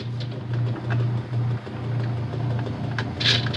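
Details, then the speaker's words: Whirlpool-made direct drive washer after motor coupler replacement: steady low motor hum with light scattered ticking, slight grinding from agitator dogs rubbing a gear, no knocking from drive; normal running. "and that grinding sound is just agitator dogs you're just for whatever reason they're like rubbing against like a little gear on it which making that sound but that's no big deal it still works and still works just fine"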